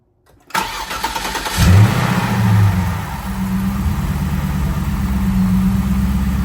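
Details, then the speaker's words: Cadillac STS after replacing spark plugs and coil packs: cranks briefly, catches cleanly with a quick rev, settles to steady even idle without misfire; leftover brake cleaner from plug wells blown out, runs like a top. "All right, well, it blew out whatever that bullshit was that was left. Probably the brake cleaner and stuff I sprayed in the spark plug wells. But that's it, guys. She runs like a top."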